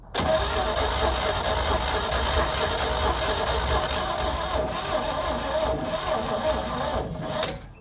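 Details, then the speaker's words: AMPROAD 4000A jump pack cranking a Jeep: rough, uneven starter churn for about seven seconds, started hard then slowed, never catches; pack dropped to 97 and warmed; slow cranking, no start. "after using this again it was cranking hard and then went real slow and now it's blinking on this screen up here"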